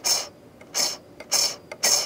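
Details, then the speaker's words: Yaesu FT-1000MP transceiver, previously worked on by other techs: the squirrel-cage cooling fan turned slowly by hand makes high hissy scraping bursts about twice a second, binding on a black wire, possibly also an end cap. "binding on a black wire in here so whoever threw this back together didn't check anything out"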